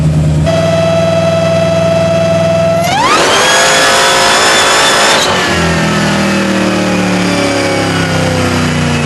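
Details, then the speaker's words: 1972 Dodge Demon with a Hellcat engine swap on the dyno: it pulls steadily, then revs shoot up and hang near the limiter. The torque converter was okay at 750 crank hp but appears slippery over 1,000 hp, so it is likely too loose. "So we've come to the consensus that the converter is more than likely far too loose Yeah. for the amount of power that it's making now."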